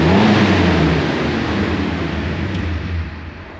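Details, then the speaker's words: 2001 Jeep TJ after a no-start fix, revved to charge the battery: engine held at steady high rev then easing off smoothly, no knocks or misses; normal running for an older engine. "And yeah, I know it doesn't sound great, but it's a 2001 Jeep, man. It sounds decent."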